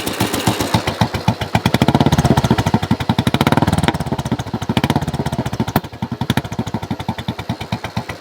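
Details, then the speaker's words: Royal Enfield Bullet 500, about 7,600–7,700 miles, slightly warm: loud, open single-cylinder idle with unevenly rising and falling beats. Aftermarket exhaust and carburetor are due to go back to original; it doesn't run right or accelerate smoothly. "the reason for that is this thing is insanely loud and you kind of feel bad for uh riding it because it's it's actually that loud plus it doesn't run quite right"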